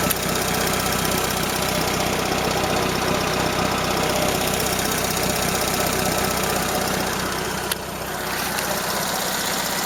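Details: Toyota Corolla Ceros, 4A-FE engine, C50 manual gearbox, idling: light metallic ticking about three per second with hiss; owner unsure if valve or gearbox shafts; slight exhaust corrugated-pipe leak also present.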